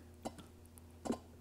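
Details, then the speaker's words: Old Mercedes 300D diesel, injector number three on a pop tester, opening near 1,600: two short, crisp chirps with quiet between and a fine spray pattern; healthy injector. "this one's firing at about fifteen no almost sixteen hundred but that's gonna be okay and we've got the good chirp and a nice spray pattern on number three"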